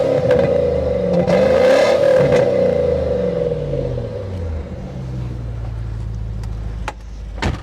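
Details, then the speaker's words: Old Land Rover with aftermarket muffler, heard from behind; deep smooth exhaust rumble rising cleanly with throttle blips and settling evenly, sounds pretty good; normal exhaust note. "for an old Land Rover that thing sounds pretty good"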